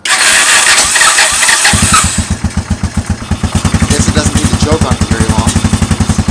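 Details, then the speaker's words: 1986 Honda TRX200 ATV single, started on choke with the starter, settling into an uneven idle with light metallic clinks; loose baffles and rust rattling in the exhaust pipe. "can hear a little clinky, clinky, clanky. That's just baffles and rusted stuff in the exhaust pipe."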